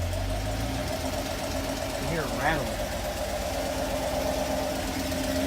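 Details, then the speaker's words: 2016 Chevrolet Camaro SS LT1, 6-speed manual, 25k miles, dealer oil changes: louder, rattly tick from driver's side head, not the direct-injection tick, most prominent held near 2,000 rpm and rising with throttle; suspected lifter tick. "sounds like driver's side bank. Lifter, I'm pretty sure. Definitely driver's side bank. Give it a little throttle, you can hear it."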